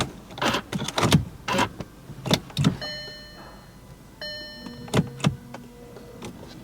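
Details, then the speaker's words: Crashed Audi RS5 V8 gets a push-button start attempt with low battery charge warning: sharp relay clicks and dash chimes, but the starter never turns; a blown starter fuse is suspected. "I can hear the relay clicking. Interesting. Wonder if the fuse to the starter's blown, because it's not even trying to turn the starter."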